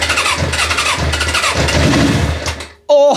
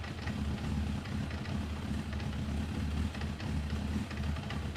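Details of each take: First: Suzuki GSX-R parked about ten years, cranking with easy-start spray: starter churns with uneven chuffing pulses, engine tries to fire, nearly catches, then goes quiet after a sharp burst. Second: 1994 Suzuki GSX-R 1100, stored in a garage for over 10 years, started in neutral on a new battery. It settles into a low, steady idle with an even rumble and no knocks or rattles, running fine.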